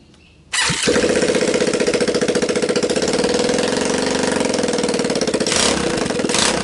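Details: Linhai Talon 300 4x4 ATV engine (auction buy, had appeared seized), bench-tested on first start with a PZ27 carb taped onto the intake and a 12 VDC CDI, choke on: catches and settles into a quick, even putter with no knocks, rattles or smoke; normal running.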